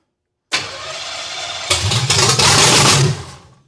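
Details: Hot-rod 327 Chevy V8 in a 1957 Chevy, first start in 15 years, with the ignition timing not yet right and no transmission lines fitted. A short crank catches and stumbles into a ragged, uneven burst before dying away.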